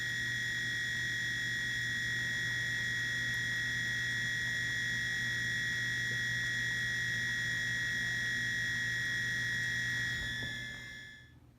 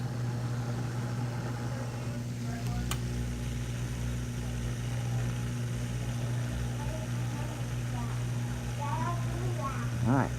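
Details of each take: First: Whirlpool dishwasher at cycle start: a steady high-pitched whistle over a faint hum; owner suspects the water inlet valve and plans to replace it. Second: Whirlpool dishwasher filling after the water inlet valve, the suspected source of a whistle at cycle start, was replaced: steady low hum with an even rush of water and no high whistle; valve now fills smoothly and quietly.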